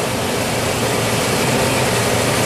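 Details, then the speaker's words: 1999 Chevrolet Tahoe V8 at operating temperature, which months ago clanged and banged, now idles even and steady with no knocks or ticks, just a smooth hiss and low rumble; normal idle for now. "oh listen to this thing sounds perfectly fine and here's the other catch no it'll probably change on me all pressure and it's up to operating temp and it's running fine"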